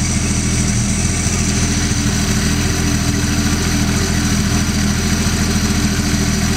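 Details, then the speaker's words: Holden 161 straight six on a cold start, an engine believed nearly new whose head was once pulled and found like new inside. It idles smoothly with a steady beat and no knocks or misses, vibrating less and sounding better than the other engine. "Sounds wonderful, doesn't it? Yeah. A lot better than the other one."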